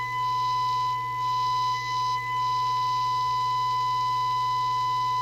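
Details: PE Ranger 1981 half-watt 6-channel crystal-controlled CB27/81 transportable (late version, better output filtering), receive alignment, audio taken from speaker: steady whistling test tone, rough buzzy edge, low hum beneath; distorted received audio, receiver out of alignment, needing L106/L107 adjustment per manual.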